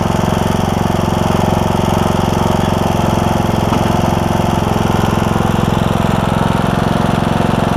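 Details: John Deere E100 mower, 17.5hp Briggs, 80 hours, just after camshaft replacement for hard starting: steady, even single-cylinder thump at part throttle, no misses or knocks; started right up, burning oil off muffler; running healthy.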